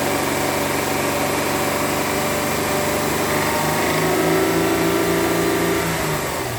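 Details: W211 with a 3.5 engine, 2009: steady, fairly even tapping about four times a second over a smooth idle; engine knock, cause not yet pinned down.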